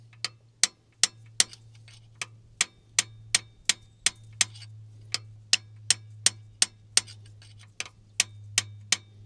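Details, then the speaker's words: Sharp hard taps, nearly three a second, on a seized valve giving a dead solid knock, not springing, in a long-idle supercharged two-stroke GM Detroit 12V71 diesel from a vintage Wabco Haulpack dump truck. "right now we back to the next one yeah that one's that one's seized it's quite solid to tap"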